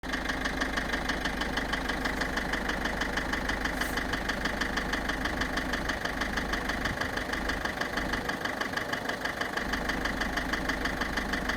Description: Voici une vidéo concernant un bruit moteur sur ma voiture